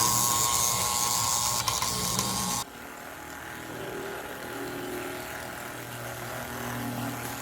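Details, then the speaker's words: 1957 American Flyer GP7 Texas and Pacific toy locomotive (Sunshine Special set) running on track, transformer near 30; harsh, gritty whir with fast rattling tick about three per second; motor runs freely but noisily, owner suspects it needs a rebush. "this is the sound this engine makes for those of you that recall uh this reminds me very much of the rocket all that to say I'm afraid this guy is in need of of a rebush"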